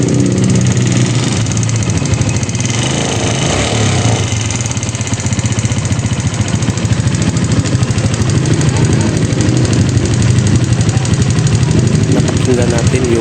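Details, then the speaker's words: Suzuki Raider G motorcycle idling: busy idle with fast loud tapping from the top end and a faint knock underneath; very noisy ticking and slight knocking, traced to worn camshaft, rocker and chain guide. "Ngayon mga dol, buksan muna natin to kasi napakaingay yung kanyang andar, yung malagitik at merong kunting lagutok."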